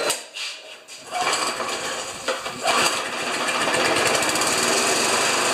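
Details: Old Briggs lawn mower with power-rake thatcher after replacing thatcher springs, set a quarter inch above the grass: pulls over, catches within a second and settles into a fast, even buzzing run with no misses or knocks; runs healthy.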